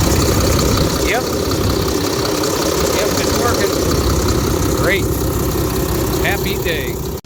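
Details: Freightliner Cascadia diesel after repairs, mileage given as 886, with the warning lights off. A steady, even idle with a smooth low rumble and no knocks or hunting; the engine idles healthily, and the truck runs, drives and handles fine.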